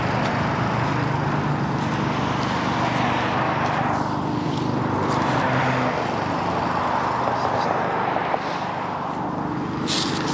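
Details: Honda-powered Billy Goat at about 21–22°F, running after a choke and cable adjustment got it started: the small engine drones steadily under the fan's roar, holding even speed without stumbling or surging; running properly under load.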